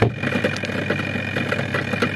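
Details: Zvezda washing machine, replacement spin motor fitted after the old side seized with rust, lid closed and drum turning: even whirr with light regular ticking about twice a second, steady speed; healthy spin.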